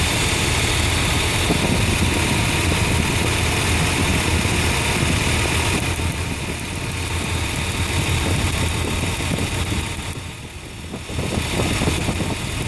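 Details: Nissan engine misfiring with low power, checked with a DIY high-tension wire leak test: the idle stumbles with an uneven, shaky beat and brief dips in volume, as if missing on a cylinder; cause suspected, not confirmed.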